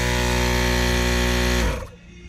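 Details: Newly installed ARB twin air compressor, mounted with its air tank in the rear of a Toyota LandCruiser 200 series: strong steady motor buzz at constant pitch that winds down and stops within two seconds; running clean and even.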